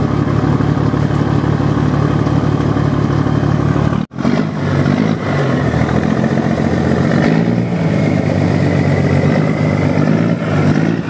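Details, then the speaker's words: 1975 Scania truck diesel, engine just rebuilt, about 1500 rpm: deep, even rumble picking up smoothly on gentle throttle blips and settling back without knocks, with oil pressure holding; normal healthy running. "galera ouviram aí o ronco ó sem judiar galera só o motor acabou de fechar né"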